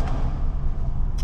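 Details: 2005 Toyota 4Runner 4.7 V8 after timing belt and water pump replacement, warm after a 15-mile test drive, no leaks: short, steady low rumble with an even beat and no ticking or knocking; idles smooth.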